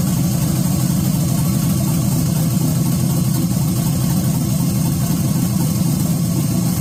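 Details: 1986 Chevy Caprice box body with swapped 5.3 V8, 4L60E and aftermarket cam, fire-up on a 60 tune, power steering lines unhooked, belt too short: deep, loud, choppy lumpy idle, steady with no knocks or misses; normal lopey idle.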